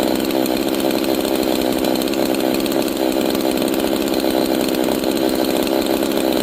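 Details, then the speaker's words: G660 chainsaw after a timing advance: high, buzzing idle that won't settle, with the chain creeping. The idle mixture is too lean and is being richened to lower the idle. "So, it's too lean. That's why it's kind of staying high RPMish at the idle. So, I'm going to give it more fuel."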